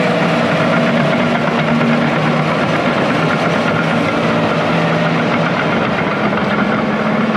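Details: International IH 175C track loader diesel, sat a long time, freshly serviced with fluids and filters changed, first run outside the shop: loud steady chug, even beat, no misses or level change; normal healthy idle.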